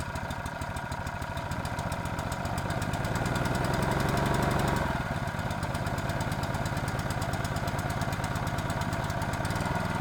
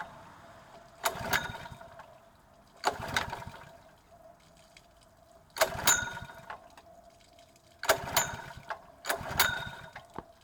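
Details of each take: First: Honda GX120 water pump after cleaning and repair, water supplied, test run as owner reported it stalled after running briefly: steady even single-cylinder beat, brief pickup then settles, no misses or knocks; normal running. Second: Honda GX120-powered water pump, fueled and water connected, brought in for carburetor cleaning: five separate recoil pulls, each a brief rattling spin that dies without firing; no start because the engine switch was left off.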